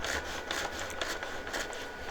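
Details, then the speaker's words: Geeetech A30 3D printer whose 0.4 mm nozzle was drilled out to 0.8 mm, bed being leveled by dragging paper under the nozzle: light, even scratchy rubbing about twice a second with slight tension. Correct nozzle-to-bed gap. "Like it's bunching up a little bit, but not bad. I feel the tension. You can hear it rubbing. That's what I want to hear."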